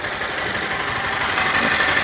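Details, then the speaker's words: 2023 Honda Bros 160 idling: fine, fast metallic ticking from the top end, typical valve rocker clatter for this engine, normal; adjusting it away is said to cause problems. "aí então esse barulhinho é comum mesmo tá entendeu"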